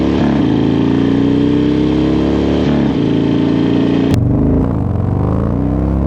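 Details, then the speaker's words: Harley Dyna, rear raised an inch, warmed up after an oil light and top-end noise: engine climbs smoothly through the revs, drops cleanly at the shift, pulls again. Normal acceleration, no bogging or odd noises. "But it seems to be performing pretty well. No real issues. I don't see it bogging or anything. I don't hear any weird noises."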